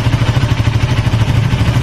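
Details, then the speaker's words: Honda Sonic 150 single-cylinder idling after rebuild: loose rattly clatter under each firing thump; connecting rod big end bearing has play (replacement advised, not done) and clutch basket rubber dampers worn with much play. "Nah ini yang suaranya agak sedikit berisik. Pertama dari setang seher kan udah kena dikit, ada space, disaranin diganti, tidak diganti ya. Bagian setang, di bagian big end-nya bearingnya udah ada kocak."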